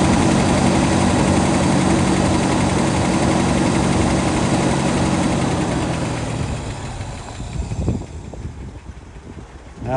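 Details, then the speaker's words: 1967 Lincoln V8 idling cold just after start, exhaust leaks mostly fixed: lumpy uneven low rumble that wavers then dies away; rough idle. "so anyway at least the uh exhaust leaks are for the most part taken care of she's idling kind of rough still cuz it's"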